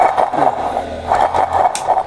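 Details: 2016 Suzuki Bolan (Maruti Omni) gearbox, mic close: rough, uneven scraping grind as the input shaft is turned by hand, from a worn input shaft bearing; in the car the noise appeared at cold-start idle and vanished with the clutch pressed.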